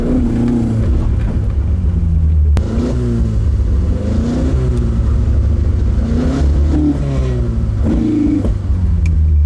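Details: Carbureted AE86 build, MSD ignition, distributor timing just adjusted: repeated rev-ups rise and fall unevenly with a rough low drone, stumbling on full throttle; timing change failed, faulty carb circuit misfire.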